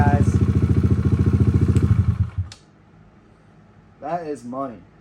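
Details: Kawasaki KLX140 with stock carb, Big Gun exhaust and airbox mod, after rejetting and setting the air-fuel screw for the cleanest idle, set slightly high: an even single-cylinder thump about 3.5 beats a second with no misses, a healthy idle.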